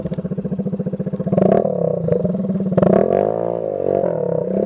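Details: Scooter muffler gutted on the road, everything missing except the can, tip run over: loud, raw, blatty unmuffled exhaust pulsing at idle and swelling with throttle, running without a silencer until replacement.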